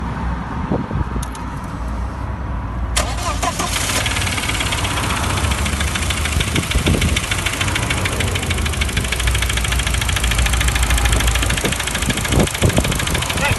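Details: VW Passat B5 ATW engine: cranks and catches, then rough running with quick, uneven ticking knock over it; source not pinned down.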